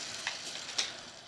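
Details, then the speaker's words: Dry, rusty, pitted roller bearing from a 1940 Farmall M differential, turned by hand with no grease, giving gritty crackling and sharp clicks; rough, noisy bearing from rust pitting, not trusted for reuse. "Now granted, there's no lubricant in there, so it's going to be a little noisier than if there was a light coating of grease in there, but I don't trust it with all the pitting that's in here."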